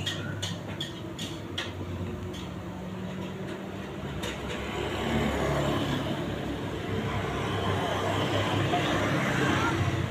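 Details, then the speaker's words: LG 15 kg washing machine after drum bearing replacement (outer bearing 6205), spin test: a few light clicks, then the drum spins up to a smooth, even whir with no grinding or rumble; normal spin after repair. "Nah, ini suaranya udah sip, halus."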